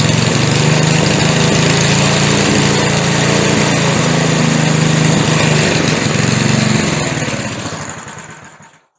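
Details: McLane edger after adjustment, run without the air filter fitted: even, steady buzz at constant speed for about seven seconds, then a clean wind-down to stop; normal smooth running.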